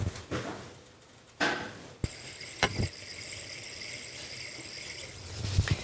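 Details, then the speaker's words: Engine overheating diagnosis with low coolant and a suspected leak: under cooling-system pressure testing, a click then a steady thin hiss of air escaping at the cheap tester's own fitting, not the engine; the tester is leaking. "estáis saben de dónde está bien estado hay nada está viniendo de aquí pero suena esto en realidad o sea la herramienta de herramienta web"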